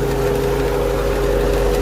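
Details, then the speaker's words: Infiniti M45 VK45DE V8 at idle: steady whirring hum over engine note, louder when touched, from the belt idler/tensioner pulley which vibrates heavily and wobbles; worn pulley bearing, replaced with new tensioner pulley. "I can feel a lot of vibration when I touch it so that's one thing that you guys can do is grab something touch it and feel a lot of vibration that's most likely what's causing noise"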